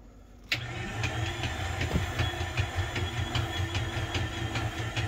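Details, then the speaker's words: 1998 Dodge Intrepid 2.7 V6, sat 9 years, reportedly used oil: starter churns unevenly about two and a half pulses a second and the engine never fires; cranks but no start, owner suspects broken timing chain/belt. "sounds like timing belt something's already broken belt chain whatever it's got I don't know sounds broken"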